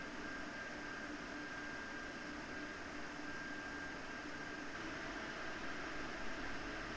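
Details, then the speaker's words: PowerColor Radeon RX 7900 GRE Fighter graphics card fans: a soft, even rush of air with a faint steady hum and no rattle or ticking; a slight metallic sound from the cooling fans is noted. "*El sonido metálico que escuchas es el sonido generado por el ventilador de refrigeración."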